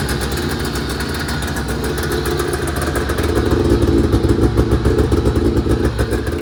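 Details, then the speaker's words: 1980 Yamaha Exciter two-stroke snowmobile, revived after sitting 19 years, first test run after tank cleaning, throttle cable swap and premix added to the tank: crisp even popping, steady beat, slight rev lift, smoky; running normally. "all right there you have it guys it's always a good day when you get to fill the shop with smoke I love it man"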